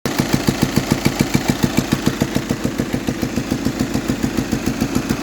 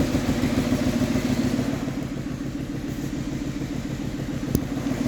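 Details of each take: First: VW Passat at idle: sharp, very even ticking about three or four times a second from the head; worn camshaft followers, fixed by fitting four new followers. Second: VW Passat after replacing 4 camshaft followers: idles with an even, steady beat and no top-end ticking; valvetrain quiet and healthy.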